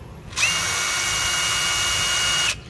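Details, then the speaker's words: New DeWalt DCF887 impact driver (DCK299P2 kit) free-running unloaded at speed 2, faster and stronger than speed 1: a clean, high, steady motor whine for about two seconds, then cut-off. Normal, with no rattle. "số 2 đó sẽ mạnh hơn mọi nó nhanh"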